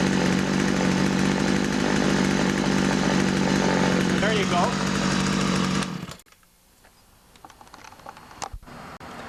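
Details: Older Poulan 2150 chainsaw with Walbro carburetor after carburetor screw adjustment: strong, even two-stroke buzz holding steady speed about six seconds, then cut off cleanly; runs smoothly.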